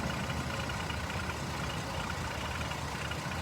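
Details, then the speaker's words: Jeep Liberty at rough idle: dense clattery, diesel-like rattle over the engine; owner suspects misfiring cylinder from bad coil or spark plug, or too-low idle from dirty MAP sensor, not confirmed. "sounds like a diesel [Applause] something is not supposed to be making that noise and it's a little bit rough"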